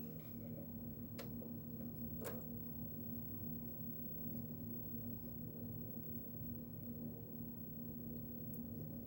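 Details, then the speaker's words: PS2 fat console after installing a new silent aftermarket cooling fan; only a faint steady low hum with no rattle, buzz or whine while blowing plenty of air; normal quiet fan running. "can feel the air. It blows a lot of air. So yeah, it's completely silent."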